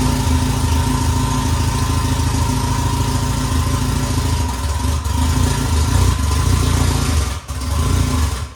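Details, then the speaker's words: Honda S2000 after head gasket install, non-interference engine: runs flat and lazy, rising and sagging with no response, very little compression and won't rev; cams suspected then confirmed one tooth off. "prime example of what the car sounds like if you're off a tooth so if you're off a tooth um the car just has no response very little compression as you could tell I couldn't get it to rev up"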